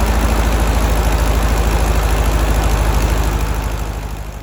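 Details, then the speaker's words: 1964 Karmann Ghia air-cooled 1600 idling after the manifold vacuum leak was fixed, with the alternator fan off: a steady, even low thump and no rattle, confirming the rattle came from the alternator. Normal idle. "vacuum leak fixed and without the alternator fan on there's no rattle the rattle is coming from the alternator so a new one needs to go in"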